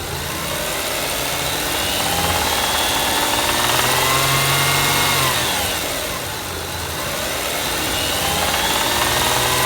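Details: 2003 Toyota Camry V6 1MZ-FE at idle: a regular light knock about four per second; suspected rod knock or valve lifters needing adjustment, not confirmed.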